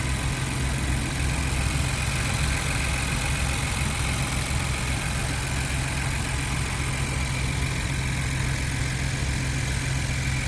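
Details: 2020+ Ford Bronco 2.7L started after a catch can install, steady even low idle rumble with no ticking, knocking or misfire; smooth, regular idle.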